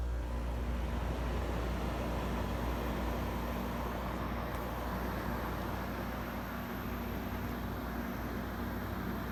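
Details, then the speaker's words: 1994 Amana 6700 BTU window air conditioner given a quick startup indoors before installation: a steady low hum under an even airy rush, no rattles, with the compressor muffled inside its sound enclosure. Normal running. "You can kind of hear how muffled the compressor is within its sound enclosure. Like I said, it makes a pretty significant difference."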